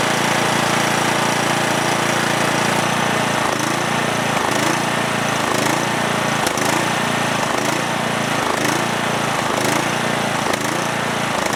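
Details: Cub Cadet lawn tractor with single-cylinder Kohler Courage engine, after a spark plug swap: it starts but after about 30 seconds hunts roughly once a second, dipping and recovering unevenly, stalling.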